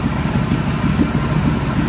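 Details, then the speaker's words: 1967 Ford Mustang 289 V8 idles smooth and steady with no knocks or misses, first start after 30 years in storage, after replacing the starting-system electrics, adding fresh gas and clearing rodent nests from the exhaust; a carburetor is still thought needed. "stand by yes sir purrs like a kitten"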